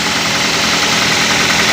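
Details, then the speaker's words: Used car engine check right after cold start, oil not yet circulated, all dash warning lights off: steady even idle under much hiss, no knock or rough miss; normal cold idle. "Kenapa kita harus mengeeck di saat mesin Masih dingin karena di saat mesin Masih dingin oli masih di bawah oli belelum bersirkulasi itu biasanya ee akan terdengar bunyi kasar bila ada masalah pada mesin mobil kita"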